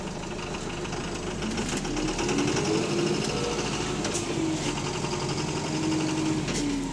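Steady diesel idle with a quick rattling knock riding on top, about three per second, suggesting a worn bottom end.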